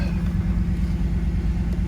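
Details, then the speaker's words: Car that stalled when shifted into reverse, after new fuel filter, injectors, idle air control valve and fuel pump regulator; check engine light on: deep, steady warm idle with slight pulsing before going into gear; reverse-stall cause not heard here. "so since is the first time she started up in a while I'm gonna let her idle and get warmed up"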